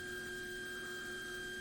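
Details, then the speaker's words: Classic VW Beetle EFI conversion, fuel pump powered directly from a 12 V battery pack: faint steady high whine, pump deadheading with no fuel flowing because the fuel pressure regulator was installed backwards. "So, the pump is making some mad noises there and still not a damn thing coming through there. So, we have a major problem on our hands."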